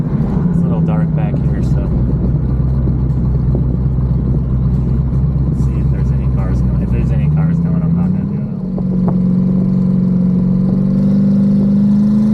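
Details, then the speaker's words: Twin turbo Pontiac G8 after head gasket replacement and new coils and wiring, hard pull at about 18 lb boost: ragged, uneven note with irregular pops and stumbles. Misfire under boost persists; cause unknown. "still missing I don't know if you guys heard it but popping and banging definitely not even happy oh man I I have no idea that was 18 lb of boost"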